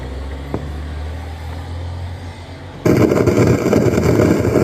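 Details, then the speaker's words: Anvox ACA1001 amplified speaker that the customer says hisses: a low hum, then a loud crackling, popping roar from the speakers. The volume control doesn't work, and the noise stops when switched to Bluetooth. Cause unconfirmed. "Tá feia a coisa aqui, viu? Nunca vi um defeito desse não. Os alto-falantes pipocando."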